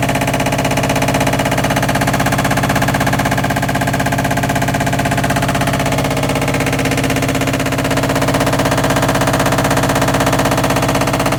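Hard, loud regular banging about three times a second while the drum spins, a harsh rhythmic knock from the spinning drum.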